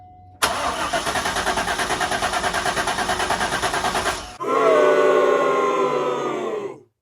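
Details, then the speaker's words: Abandoned 90s Corvette C5, manual, first start attempt after replacement PCM/ECU install: starter cranks steadily about three strokes a second for four seconds, no firing; fuel pump not heard priming, security relearn pending. "ready to see if this works yeah let's go you feeling confident 66 oh I'm scared clear going hot here we go no fuel pump not a good sign"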